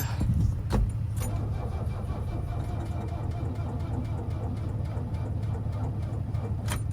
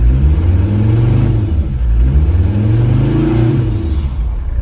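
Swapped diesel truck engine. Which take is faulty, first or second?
first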